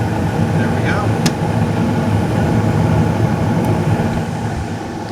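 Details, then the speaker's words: Laundromat furnace after repairing the inducer motor that wasn't coming on: gas valve clicks and burner lights, then a steady even low roar with constant hum, no rattles or surging; normal operation. "now we're going to get gas you can hear the gas valve click and his guests up quick there we go"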